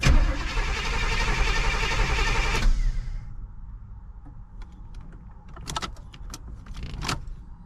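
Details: 1985 Pontiac Trans Am, sat a year with no ignition power, after cutting a burned red wire: uneven cranking under three seconds without firing, then faint clicks; cranks, no start, no fuel pump hum.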